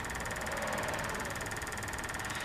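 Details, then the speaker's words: Diesel after a fuel filter change, cold evening: rapid, even ticking buzz from the electric lift pump with ignition on, so the pump works. "I don't think I heard it earlier so fuel pump's working I've been checking fuses there's no fuse that says fuel pump on it"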